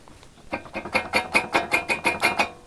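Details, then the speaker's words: Ford Explorer 4 brake caliper shaken by hand: about nine quick metallic clacks in two seconds. It rattles over bumps while driving but not with the brake pressed; worn caliper guide pins/bolts let it rattle, and replacing the whole bracket is advised. "есть на ходу когда едете по по щекам он начинает бренчать и когда выжимаете тормоз он не бренчит это можно так вот выявить эту проблему"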